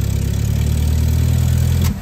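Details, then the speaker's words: Hillman Minx at first start: smooth, even low idle with a steady beat and no knocks or misses until it cuts off. Runs beautifully; normal idle. "Oh, that is so cool. It runs, and it was effortless. Can you believe that?"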